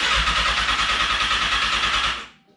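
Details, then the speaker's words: Fuel-injected 2014 Kawasaki 636, before tune-up: steady starter whirr spinning the engine about two seconds, never firing; cranks but won't start, battery strong, a friend suggests fuel pump or clogged injectors. "battery strong is just not turning over figure it out"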